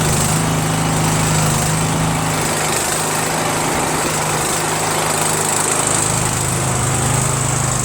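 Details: Troy-Bilt Pony lawn tractor that had sat for a while, started on choke for a buyer: small single-cylinder engine runs smooth and even at steady speed, no misfire or knock; normal running.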